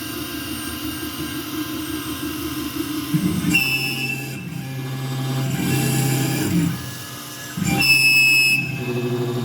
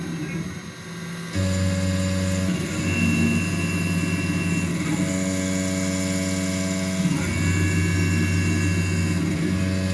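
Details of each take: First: Langmuir MR-1 CNC mill with new X/Y motors, couplers, 80V power supply, 6-flute coated end mill in steel: harsh shrill chattering cut jumping in pitch and loudness; surface finish fine, suspects spindle RPM too high, possibly couplers or idle power setting. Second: Langmuir MR-1 CNC mill with upgraded X/Y motors and new couplers, 6-flute end mill in steel at 8,000 RPM, 40 in/min, 10 thou stepover: steady spindle whine, even cutting tone, no chatter; clean smooth cut.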